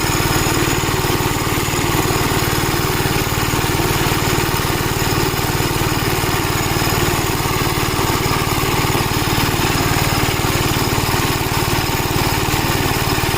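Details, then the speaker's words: Gravely Model L tractor with governed single-cylinder engine, after replacement of a blown head gasket: steady, even thumping at constant governed speed with no knocks or misses; runs really good, though an oil leak is still being traced. "Yeah, this runs really good since we replaced the blown out head gasket on it."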